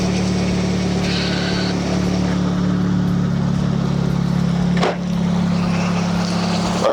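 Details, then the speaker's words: Nissan 240SX with SR20 swap, idling after GTX2860 dual ball bearing turbo upgrade, 850cc injectors, Z32 MAF, FMIC, 340lph pump and new ECU; steady, smooth idle with even hum, no misses or rattles, healthy; small audible exhaust leak. "right so it sounds really good idle is like on point I don't see any leaks I don't smell anything"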